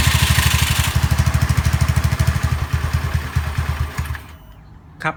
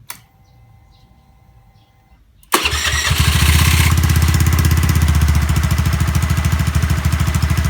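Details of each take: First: Honda Zoomer-X fuel-injected scooter at idle: putters, beat slows and falters, stalls after about four seconds, worse with throttle; weak electric fuel pump suspected of starving it of fuel pressure. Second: Honda Zoomer-X fuel-injected scooter after replacing the fuel filter and electric fuel pump: fires first try and settles into an even, steady putter around three beats a second; starting and stalling problem fixed.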